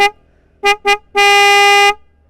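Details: Yamaha Vixion motorcycle, original single horn before Denso snail horn upgrade: two short toots then a held one-second blast, a single loud, buzzy mid-pitch tone called weak and ugly; normal horn tone.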